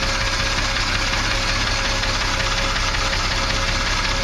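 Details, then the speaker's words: Triumph TR6 engine just after valve clearance adjustment: steady, even idle with light fast sewing-machine valve tick and some exhaust chuff from an exhaust leak under the car; runs acceptably, could be quieter. "well kind of hard to tell these old Triumph engines are supposed to sound like sewing machines it doesn't sound too"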